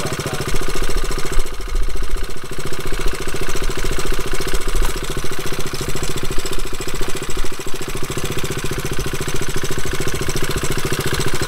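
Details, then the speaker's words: Single-cylinder motorcycle at idle: loud steady hard clack on every firing pulse; suspected engine damage from previous owner using the wrong oil, cause not confirmed. "Yeah, figure out that clacking noise is. Unless it's just the engine. You can hear the clacking noise? It's the engine. It's gonna go bad."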